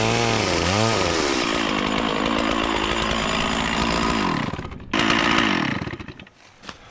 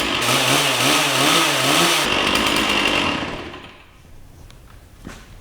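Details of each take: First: Stihl 044 Magnum chainsaw, 20-in Oregon bar, freshly sharpened chain, revived after sitting for years, cutting small wood (helmet GoPro POV): crisp revs climb and hold, bog cleanly into the cut and recover; runs healthy. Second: Free Stihl 044 Magnum two-stroke chainsaw with a 20-inch Oregon bar, running after sitting many years: revs hunt unevenly up and down for two seconds, then sag and die, smoking heavily while burning off the old stale fuel.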